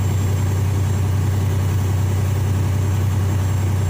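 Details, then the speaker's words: Freightliner Columbia diesel at raised rpm on cruise, smooth steady drone, compressor building air pressure much faster after the air dryer purge valve was cleaned. "building air pressure much faster now"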